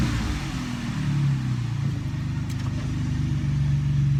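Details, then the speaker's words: 2006 Jeep Liberty after replacing cylinder 3 coil and plug, previously stumbling and misfiring without codes: steady even low engine hum with no stumble or skipped beats, a lot smoother; engine light still on pending code clear. "But it sure sounds like we got her. Oh yeah, it's a lot smoother."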